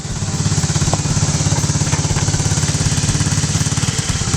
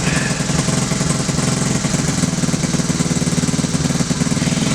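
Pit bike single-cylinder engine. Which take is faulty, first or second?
first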